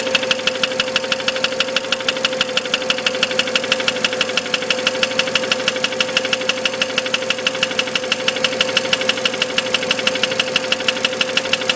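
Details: BMW 335 with the N54 engine: sharp, even ticking knock about twice a second over a steady idle; internal engine knock, cause undetermined.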